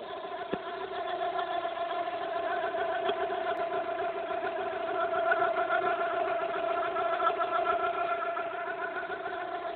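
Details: Fiat Brava 1.6 16v idling: steady whirring with a faint chirpy rhythm about three or four per second over a smooth idle, a sudden unexplained noise from the belt area; cause suspected, not confirmed.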